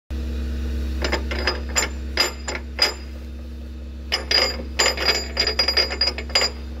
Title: Linde forklift bearing failure 2